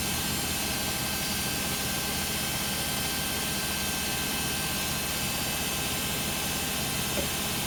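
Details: Beko WM5100W 5kg washing machine, found on the street and plumbed in, test-running a rinse with rags: a steady, heavy roar with much hiss holds without easing through a roughly 10-minute spin. Excessively loud; cause unclear.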